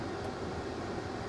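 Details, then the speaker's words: 1998 Chrysler Concorde at auction, with new radiator, brakes, timing belt, front struts, battery and camshaft position sensor: steady, even engine note with no knocks, ticks or misses; healthy running engine. "someone was so proud of the work they did and it it it's paid off cuz this it sounds good she really"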